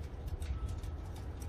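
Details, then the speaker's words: Shimano Exage rear wheel with FH-HG50 hub, cleaned and spun by hand: a light, even ticking as it coasts, with only a faint ball-bearing whisper and virtually no resistance. Healthy freehub and bearings, no damage. "Hear those ball bearings a little bit. Okay, there's virtually no resistance on that body. It spins really nice, and we'll check to see how true that is."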